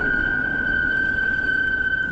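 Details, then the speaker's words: Bike (HyperScrambler 2) disc brakes on a cold day, freshly replaced pads, before applying anti-squeal paste: loud, steady high-pitched squeal holding one pitch while braking during a ride. "we're doing a a pre-break fantastic so you can see how loud everything is"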